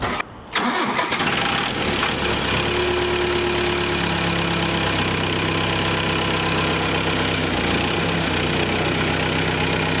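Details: Military-grade forklift after refurbished hydraulic cylinders were reinstalled, started on a jump box: long labored cranking before it catches, then a rough idle; starter struggling, apparently from low battery.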